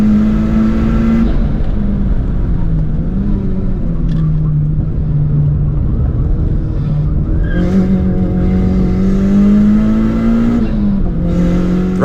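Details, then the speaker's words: Turbo-swapped Mazda 323 on track day: turbo engine drones and rises with speed while rough scuffing rub comes and goes under cornering load; with a passenger aboard, tyres rubbing the wheel arches everywhere, not cutting badly into tyres. "It wasn't too bad when driving by myself, but with a passenger, this thing was rubbing everywhere. Luckily, I wasn't cutting too badly in the tires, just making a whole bunch of noise."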